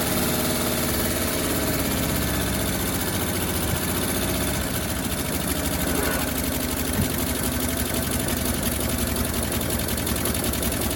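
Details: 1957 Bel Air that sat 30 years, gravity-fed from a gas can, idle turned up slightly, rough loud idle with sharp chuffing puff every firing pulse from a massive exhaust leak; water pump or generator locked, belt loosened.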